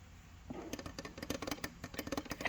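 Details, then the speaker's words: Thorzone Mjolnir SFF PC case glass side panel rattling whenever the desk shakes: quick, bright irregular clicking bursts as the loose glass chatters against the frame; fixed by inserting a thick strip cut from a lens cloth. "you can see mine is currently rattling whenever my desk shakes"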